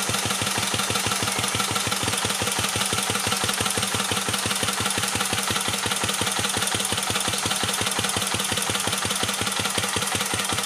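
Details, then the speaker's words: 1949 Petter A1 air-cooled single-cylinder stationary engine, previously converted to run on gas, driving a homemade generator: slow, even beat near two per second with crisp exhaust pops, steady and unlabored; running sound. "And then once it's running, I'll shut up for a bit so you can enjoy the sound of the vintage engine."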